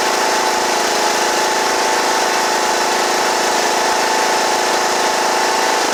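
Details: John Deere E110 riding mower after deck belt replacement: steady, even drone with constant pitch and no knocks or rattles, settling down at the end. Runs smoothly.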